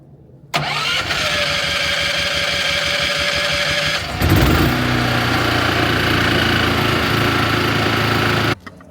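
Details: RVMP 5500 onboard generator on a Brinkley 3950 RV, started for a short warm-up before an oil change and before switching from LPG to gasoline: cranks a few seconds, catches and runs evenly. Normal start and idle.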